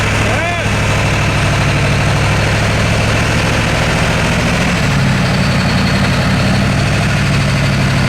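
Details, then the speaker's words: Ford F250 7.3 Powerstroke diesel, straight pipes, after high-pressure oil work, first test drive: lumpy, uneven loping beat shifting partway, sounds like one cylinder missing; bleeding air didn't help, can't get into boost; misfire from misconnected injector harness. "so I'm out on my first test-drive of it you get here it kind of has like a little bit so it sounds like one of them is kind of missing"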